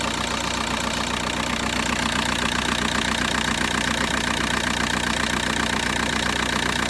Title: VW Bora 1.9 TDI ARL - engine shaking with strange sound